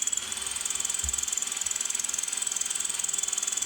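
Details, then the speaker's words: Homemade cast-aluminum boring tool with cutting oil on bit and lubed drive shaft boring steel pipe: steady high rapid chirping about three per second over the spindle drive; normal cutting chirp. "And there it goes. You can hear it chirping away, cutting that metal."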